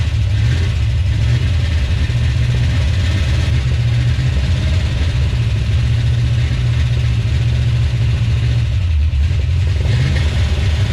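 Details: 1970 Plymouth 340 Duster on first start after sitting about nine months: deep V8 idle with uneven loping beat and stumbles, missing on a cylinder; owner suspects an old worn-out truck engine.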